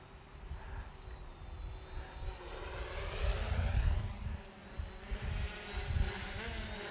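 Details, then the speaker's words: Quadcopter on a Naza Lite controller hovering in light breeze: a steady buzzing propeller drone whose pitch rises and falls slightly with small corrections. Very stable with no control issues, a healthy hover. "it's a little breezy today it's not bad um but again no issues at all with control here"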